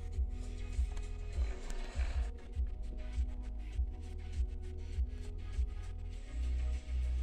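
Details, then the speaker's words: Chaika 144A sewing machine after repair, stitching silk at stitch length 2: steady low thumping about a hundred stitches a minute, even unforced rhythm; sewing smoothly, no skipped stitches or puckering. "самое ни одного пропуска ни одной затяжки не"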